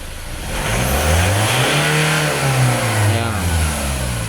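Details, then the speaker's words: Ford Ranger that previously gave no reaction and would not start, now starting on one click and revved to 4,500 rpm; sweeps up cleanly, holds high revs smoothly with no knocks or misses, then eases back; healthy revving. "4,500 umabot guys. Kondisyon na kondisyon guys."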